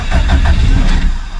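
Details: Stock Subaru EJ257 longblock in an 1100+whp STI, cold, in neutral. Quick cranking pulses barely catch, then fade out; hard cold start, cold start tune needs work.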